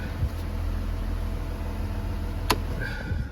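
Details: Porsche Cayenne / VW Touareg 2011+: driveline noise from the vehicle centre above 27 km/h, a steady low hum and drone under the car, confirmed on a lift while coasting in neutral. Fix: replace the driveshaft centre support bearing (7P0598101).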